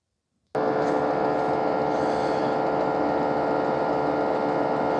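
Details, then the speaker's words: Ecovacs Deebot T80 Omni robot vacuum dock, new unit: after the dock's water pump, which had failed out of the box, needed priming, it starts with a steady even mid-pitched hum; pump now working normally. "That's the sound you want to hear. I think that's the water pump working [music] now."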